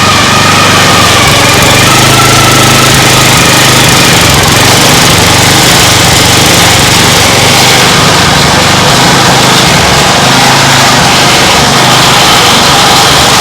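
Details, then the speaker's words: Lawn mower engine converted to outboard, fixed-throttle single cylinder, in neutral: high, buzzy drone with a faint whistle over it; abnormal sound, cause unclear, owner wonders if something needs adjusting. "a what is that awful sound it was in neutral what what is happening that sounded really really really not good what was that"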